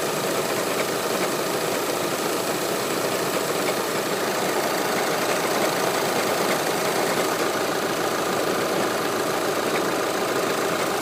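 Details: Audi A4 8K 2.0 TDI Multitronic diesel idling, recorded outside with the bonnet open: steady fast light clatter around three or four ticks a second; abnormal extra noise at idle, cause unknown.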